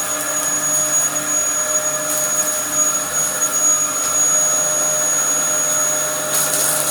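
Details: Likely the Dyson DC07 upright from a neighbour, mint apart from dirt but with a broken chassis, running: steady, high, even motor whine with constant airflow rush, no surging or rattles. Running normally.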